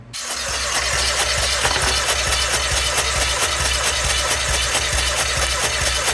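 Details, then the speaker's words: 2017 Hyundai Elantra, cam position sensor code and no start: starter cranks steadily at about two pulses a second but never fires, as the exhaust camshaft doesn't turn because the cam phaser locking pin broke. "here well if you work on cars you would have noticed this cam shaft is not turning that's where the problem is so all the exhaust valves are locked in place not turning due to the phaser here pin breaking at the cam"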